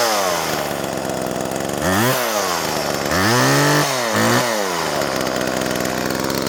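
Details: Homelite Super 2 chainsaw, old saw in good shape: uneven two-stroke snarl with revs surging and sagging irregularly instead of holding steady; runs rough, owner attributes it to a stiff carburetor from infrequent running.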